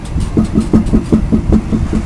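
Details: 2006 GMC Sierra 1500 Z71 4WD with 4.10 rear end: steady, rapid popping from the rear axle, about five low thuds a second over a dull rumble, with a weird vibration felt in the tire; C-clips suspected.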